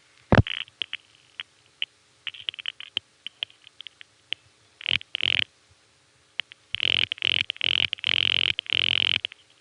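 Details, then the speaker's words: Gotham tandem, New York, 1975–1977 recording of a call to the Wadsworth 3 panel office: scattered relay clicks then loud panel pulsing; the direct trunk fails, possibly a flash, and Gotham reroutes through Amsterdam Tandem using 7-digit revertive pulsing. "And so first you'll hear loud panel pulsing, then you'll hear Gotham rrooting using that same 7-digit revertive pulse protocol to put it through Amsterdam."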